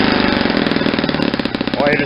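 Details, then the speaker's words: Saito 50 four-stroke model engine, first run after a ring and bearing rebuild, APC 11x7 prop, 10% fuel, needle set very rich for run-in; uneven blubbery burbling with popping and heavy smoke. "how much smoke is Tori sauce is coming out because I got it's a really rich and you'll hear kind of blubbery"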